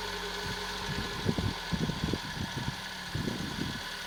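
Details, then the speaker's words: 1991 Citroen BX 1.4 with 81,000 km, off the road for 10 years with old oil and cambelt, first start: steady low idle hum holding an even speed, a few soft thumps but no knock. The engine seems quite healthy. "It's been off the road for many years, but it seems to be quite healthy."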